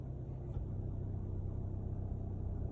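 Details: Kia Ceed CRDi 1.6 136bhp diesel just after start: low steady droning hum with frequency changes, noise seems from front; failing fuel pump, replaced under warranty.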